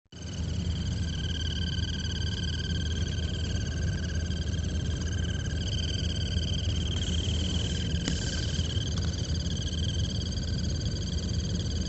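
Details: 2016 Alfa Romeo Giulia blower motor under glovebox: steady high whirring whine with faint chirps, intermittent, worst when cold and dry after sitting hours, stops once motor warms after minutes driving; tapping motor shaft changes it.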